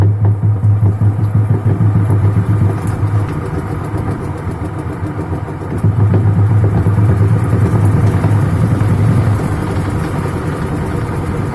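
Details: LG WF-T7516HN 6.5 kg top-loader washing machine: loud, rough low drone with throbbing beat from worn gearbox during agitation; gearbox replacement.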